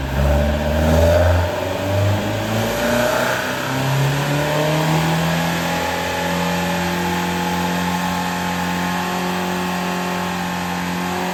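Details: Rebuilt, previously seized Vauxhall Corsa B C20XE track car with carburettors just tuned, running on the dyno: steady, even note then pulls smoothly under load, no stumble, popping or misfire; normal running, no leaks, made 210 hp.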